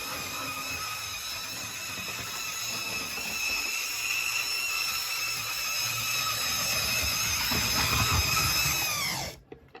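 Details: Mainline Railways Royal Scot model locomotive, run only about twice. A steady, piercing high squeal runs continuously while it moves and cuts out when it stops. Motor squeal from lack of lubrication.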